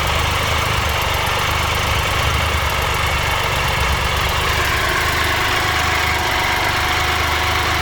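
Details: 2013 Triumph Tiger Explorer, 31,000 km, after a dealer valve clearance check and adjustment: steady idle with a light rapid ticking and rattle over the exhaust note, less than before but still noticeable, from an exhaust header leak.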